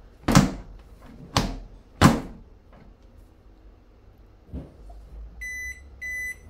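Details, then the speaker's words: Hisense 7 kg front-loader washing machine on direct spin at 800 RPM: three heavy door slams, then short high beep bursts as door fails to lock intermittently, F13 door lock error; door switch to be checked and replaced. "Here it's showing F13, and now we have to change the door switch."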